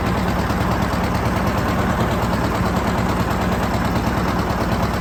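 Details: John Deere 730 two-cylinder tractor pulling a John Deere RWA disk, disking ground for soybeans: slow, even putt of about 140 beats a minute under load, steady and unbroken; normal running.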